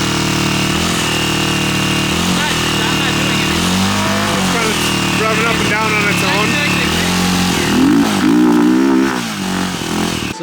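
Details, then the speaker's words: Single-cylinder quad held at a set throttle: revs climb and sag on their own, hunting up and down; owner suspects ignition issues, possibly the stator; runs rich, timing advanced one tooth; engine surging at fixed throttle. "I'll put it to a set throttle"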